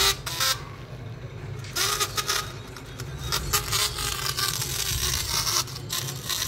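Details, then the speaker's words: Samsung phone loudspeaker at volume giving harsh, rattly, cracked ("fati fati") sound with ragged crackling bursts instead of clean tone, before repair without replacing the speaker; distorted loudspeaker. "ये देखो कैसी फटी फटी आवाज़ आ रही है।"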